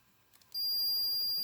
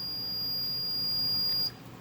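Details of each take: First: Maytag A7300 washer lid switch tested with beeping continuity meter: a few faint taps and no tone, then sudden steady high beep; intermittent contact, switch judged bad (washer stopped mid-cycle); both switches replaced. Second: Maytag A7300 washer lid switch under continuity test: steady high meter beep for about a second and a half, then cuts off; lid switch closed, circuit completing.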